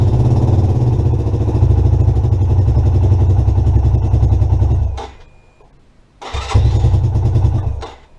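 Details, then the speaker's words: 2017 Lexmoto Adrenaline fuel-injected motorcycle after a crash, new fuel pump and lambda sensor, clearances set, good spark, fresh fuel: uneven lumpy idle about five seconds, dies, restarts briefly, stalls; faulty engine temperature sensor makes it start lean. "it's a 27 teen fuel injection version and it's having real starting and idling issues after a crash"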